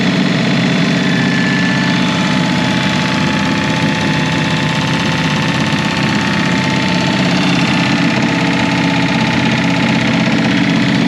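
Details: Revived Chevy inline six (230 or 250, uncertain) with formerly stuck valves and rusted cylinders, number one cylinder low on compression: continuous loud, unsteady running with no smooth rhythm; rough running, and the engine floats the valves, cause otherwise unconfirmed.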